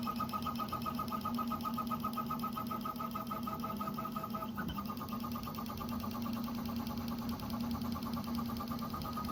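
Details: Prusa XL 3D printer during printing: steady motor hum with a light, quick chirping tick from one extruder. Support suggested loosening the extruder idler screws; result unconfirmed.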